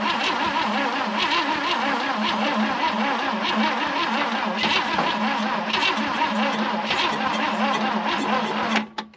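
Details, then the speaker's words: 1966 Chevy Biscayne straight-six, Powerglide, sat about 20 years; long sluggish, labouring cranking with starting fluid sprayed, never catches, fades at the end. They think the battery is dead and have another one to grab. Slow crank from weak battery. "think the battery's dead. Yeah. I got another one in there if you want to grab it."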